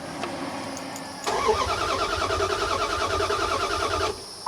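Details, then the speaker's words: Vehicle that won't start: starter turns over at a steady even rhythm for about three seconds and never fires; cranking RPM is present on the scanner; PCM fault suspected, not confirmed. "H, look at that. We have cranking RPM. So, maybe they're right. Maybe it needs PCM."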